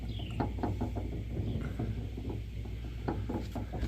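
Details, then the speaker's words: Mega mud truck with 2.5-ton Rockwell axles, front jacked up and wheel turning: irregular sharp clicks and clunks over a low drone, ratcheting from the front axle; owner suspects a broken long-side shaft or stripped splines, cause unconfirmed. "I think it's coming from right here so I probably broke the long side or I could have stripped out the splines inside here"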